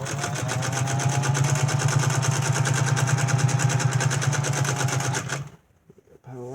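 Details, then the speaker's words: 1931 General Electric Model A sewing machine, freshly oiled, stitching after an upper tension adjustment: even, fast needle ticking over a steady motor hum for five seconds, then stops; runs smooth, stitch nicely balanced, bobbin case not yet cleaned or adjusted. "but it's stitching it's working it's pretty balanced well that's a nice Stitch I'm happy with that"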